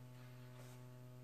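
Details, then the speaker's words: Alesis Sample Pad 4 after factory repair, mono main output: steady low electrical hum with a buzzy edge, unchanged by volume setting; owner suspects a grounding design issue, not fixed by repair. "still hear the buzz it's like a grounding issue in the design somewhere"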